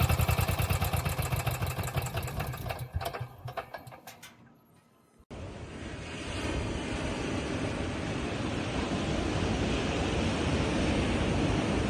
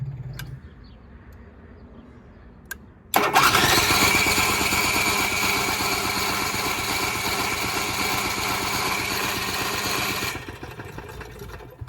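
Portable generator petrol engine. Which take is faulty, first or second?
second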